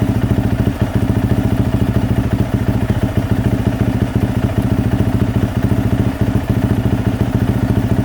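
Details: 2024 Yamaha YZ450F single-cylinder idling during a cooling-system flush with water after overheating melted the water spout; drain bolt out, topping up at radiator. Fast, even thumping idle, steady beat, no misses or knocks; healthy.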